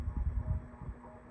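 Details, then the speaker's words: 36-inch Enviro Fan Goldline ceiling fan on medium speed: steady low electrical hum with a faint soft throb; the motor hums, cause not evident, acceptable by a laundry area but too much for a bedroom. "So usually hums like this would bother me when it's on a medium. When it's on a medium, then not on a medium, when it's in my bedroom."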